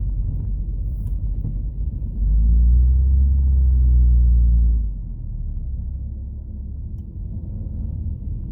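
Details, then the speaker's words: Un-restored 1937 Plymouth Business Coupe after clutch chatter fix (flywheel trued, no wobble, parallel and concentric): low, even engine rumble rising smoothly pulling away, no judder or shudder; normal clutch engagement, though new throwout bearing reportedly noisy. "So let's test it out, and I'll show you how smooth it is."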